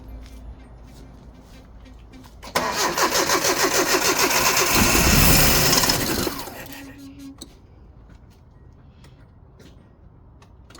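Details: 1986 Nissan pickup, 39 years old, after fuel pump work, gas possibly old: about four seconds of steady, even cranking at a quick regular beat with no catch or firing; cranks but won't start.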